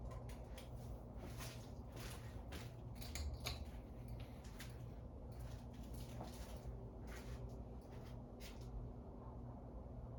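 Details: Low, steady motor hum with faint clicks and no strong spin-up from a dirty 52" Harbor Breeze Asheville ceiling fan dated February 2013, before restoration; bad capacitor.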